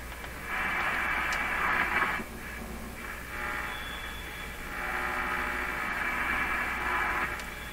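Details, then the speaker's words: Hallicrafters S-38 four-band tube radio after replacing the power supply electrolytic capacitors: a low steady hum remains under station audio, unchanged by tuning; residual mains hum, source not confirmed. "for what it's worth and there's still this definitely a hum coming from this radio here we go"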